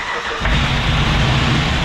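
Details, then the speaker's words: Junkyard 2011 5.7 Hemi V8 swapped into a 2014 Dodge Ram 1500, first start of the old engine: bursts into life with heavy, coarse, diesel-like clatter and heavy smoke, dry sounding on initial fire; rough first start. "We had a kick. Sounds like a diesel."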